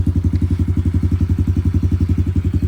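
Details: Honda CRF110 single with CJR tune idling: steady, even low thumping at about twelve pulses a second, no knocks or rattles; owner notices possible cam chain noise just after first start.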